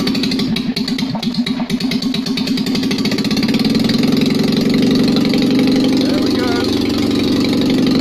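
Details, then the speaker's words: Citroën 2CV twin rebuilt with 652cc conversion, pistons, barrels and head refitted, rejetted Solex twin-choke carb, and points just dressed after water ingress. First start with no exhaust fitted: catches, then a loud, steady, raw twin beat with good oil pressure. Normal running. "there's still an awful lot to do to make sense of all this madness but she runs"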